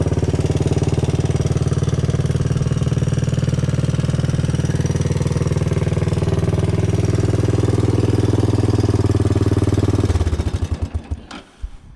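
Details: Honda ATC 200S single-cylinder, first run in a year or two, fitted with an aftermarket Chinese carburetor: light, steady ticking on each firing beat from the front valve; valve clearance needs adjusting.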